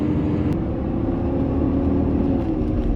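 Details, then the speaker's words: Ford 6.7 Powerstroke diesel, about 56,000–60,000 miles, engine about 1500 rpm with fan at 2000 and engine brake on; steady heavy roar and whoosh over low diesel rumble, viscous fan clutch stuck engaged. "I hope you guys can hear how loud that is. Definitely verified the concern. Step one in the diagnostic process. All right, we definitely have a fan clutch sticking."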